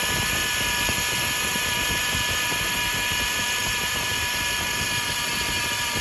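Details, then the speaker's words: Hummer H3 power steering pump with a steady piercing whine over idle, heard right at startup. It grew gradually louder. A new pump didn't help; the cause was a blocked filter inside the power steering reservoir starving the pump. "it started with it started gradually uh with the noise the whining noise on the power steering pump eventually it got quite quite loud where even when you start up immediately the noise is there"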